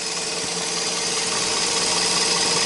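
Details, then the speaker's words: 2005 Toyota Spasio, 166k km, warm, bonnet open, gently revved; thin steady high whine rising with revs from the front of the engine, not the chain. Alternator bearing wear, judged not critical; worst case charging and air-conditioning would be lost. "Не ну толь что я тебе могу сказать это звук не критичный то есть я думал может быть что-то с цепью"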